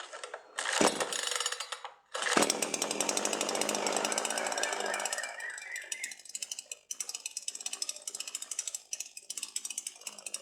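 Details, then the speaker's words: Sharp Garuda CD52H chainsaw cold start, chain brake on: after choke-on pulls until engine burp, choke pushed in and firm recoil pulls; it catches, revs briefly, settles into quick even idle, no misses; normal start and idle. "Now push the choke back in and give firm pulls to the recoil starter."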